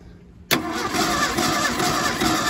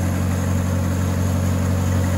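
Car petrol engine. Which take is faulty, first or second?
first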